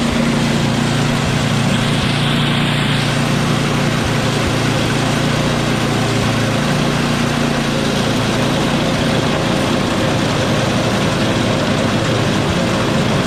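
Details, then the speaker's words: Small engine after carb clean, problem was simply low fuel: loud, steady running at constant speed, even firing with no stumbles. "I just did a carb clean for nothing. Just didn't have enough gas in it."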